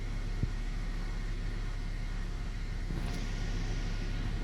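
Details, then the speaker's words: Hummer H3 3.5L at warm idle, around 600–700 rpm, throttle body and MAP sensor cleaned yearly; quiet even low rumble settling with no stumbles or knocks: normal idle. "it's gonna set up around 600 650 700 rpm usually when it's warm that's the normal position for it"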